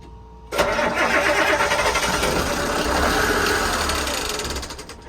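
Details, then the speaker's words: Marine diesel on the boat Hatteras after new and rebuilt injectors with new crush rings and a re-primed fuel system. It cranks and briefly fires with an uneven, stumbling rhythm, then fades; fuel is reaching the injectors but air bubbles likely remain. "She fired. She get close. Okay, so that means we're getting oil up to the injectors now, and there's probably just some air bubbles that are still left in it."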